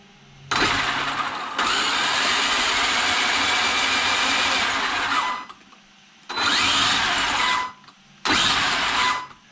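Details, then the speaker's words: Traxxas XRT with a new replacement ESC after the previous one burned. A clean high whir in three even bursts with crisp spin-up and stop and no stutter or cogging; the motor turns forward correctly before ESC programming. "So it is turning forward, which is good."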